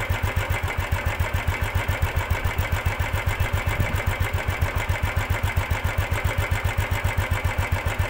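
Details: 2015 Royal Enfield Classic 350 (Bullet) idling with a steady thumping beat, about 220 a minute, with a hard rattly edge to each beat; timing chain mismatch causing engine noise and lack of pick-up.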